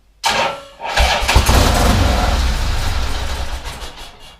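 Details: 1979 Harley-Davidson AMF Sportster pushrod V-twin during a rebuild: starter cranks, engine catches with a ragged roar for about two seconds, then fades and stalls without settling into an idle.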